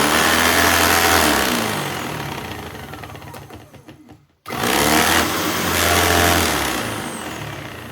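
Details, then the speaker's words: 1998 Sebo X1 upright vacuum after a temporary bearing fix: motor spins down and restarts to a steady, even whir with no grinding or squeal; normal brushroll operation. "It's silent again. That's awesome. Excellent."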